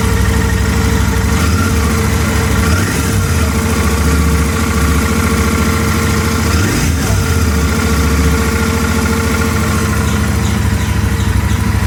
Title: An Abnormal sound / Howling Sound Coming Out from my Interceptor 650 Engine | Engine Problem